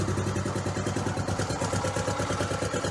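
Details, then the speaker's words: Honda Trail 90 (CT), about 50 years old and all original, idle screw just turned up a quarter to half turn after carb tuning, 72°F: steady even putt-putt, no misses or stuttering; healthy, slightly raised idle. "but no that's how it's supposed to run from Idle No stuttering no hesitation no stalling if you set the idle right"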